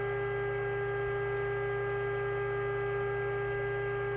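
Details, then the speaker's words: Moonraker Minor II CE multi-norm AM/FM CB radio receiver on test with signal generator; constant steady high whine under the hiss, blamed on the radio's own CPU or synthesizer: receiver whine. "a CPU or the synthesizer that is horrible"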